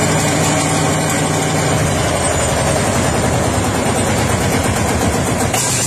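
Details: Old Lanz Bulldog tractor, no battery or starter, started with a 12-gauge shotgun cartridge after flywheel turns and decompressor setting: steady heavy run right after the start with no misfire or stumble; running fine.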